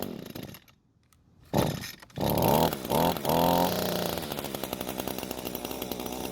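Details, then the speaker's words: Echo string trimmer after turning the carb screw counterclockwise and adjusting idle screw: engine catches with a burst, sputters and surges, then a ragged faltering idle that threatens to die. Still won't idle; carb jet/L-screw suspected. "oh now even though it stayed running a bit longer it's still not wanting to idle"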